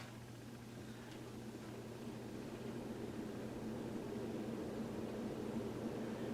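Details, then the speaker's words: 1985 Hunter Original 1.1 A ceiling fan with cane blades and reverse switch on top, cleaned and oil-checked: even, steady motor hum with a constant rush of air and no ticks or wobble; normal running. "and as far as I can tell it whips the air just fine"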